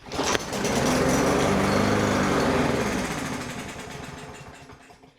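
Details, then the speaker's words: Troy-Bilt TB110 mower with Briggs & Stratton engine, water in fuel, would not start; two-stroke gas poured into intake, engine catches, runs fast and rough a few seconds then dies as primed fuel burns off; clogged plastic carburetor. "I got a little bit of that's some uh two-stroke gas I have. I'm go ahead and shoot this down there down the gullet here. See if it'll fire up for me. If not, I'll get some carb cleaner in there and see if she'll fire off."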